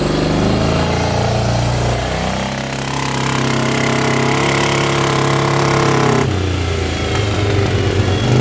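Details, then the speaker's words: 1998 Yamaha Grizzly 600 4x4 ATV (stator replaced by seller) on full-throttle test drive: engine drones at nearly flat pitch, never climbs, tops out around 10–12 mph, backfires, then stalls; bogging, won't rev out. "Full speed. I think we're going 10 miles an hour. Oh boy. Backfiring. That doesn't sound good. And just stalled out."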